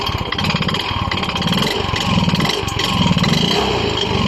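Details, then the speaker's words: Yamaha Mio i 125 single-cylinder with sudden engine noise: rough idle with loose, hollow rattling knock each beat; piston slap suspected, connecting rod not ruled out. "Sa tingin niyo guys saan kaya nanggagaling ang malaking ingay ng kanyang makina kasi magkapareho lang po ang tunog ng piston slap at saka connecting rod"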